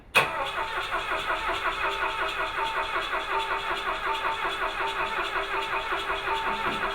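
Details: Rally car being readied for the Canada 5000, with ignition and plug firing being checked: steady starter cranking with an even churning beat, about 80 turns a minute, but the engine never catches; crank no-start.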